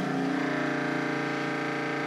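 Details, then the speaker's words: Sailboat's newly installed fresh-water pump, all faucets and showers shut: a steady motor hum that never cycles off because it can't build pressure; the owner suspects a leak in the piping, so the pump runs continuously. "think we have a leak somewhere in the piping huh so this is constantly expecting asked for demand because there's nothing to stop it there's nothing to pressurize the system"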